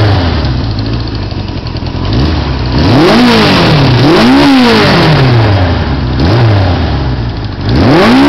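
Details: 1980 Suzuki GS550E four-cylinder with Wiseco 12.5:1 pistons, Wiseco cam, 603cc, rejetted carbs and GS650GT exhaust, second start after rebuild: crisp, even blips rising and falling with throttle, no misses or clatter; healthy and revving freely.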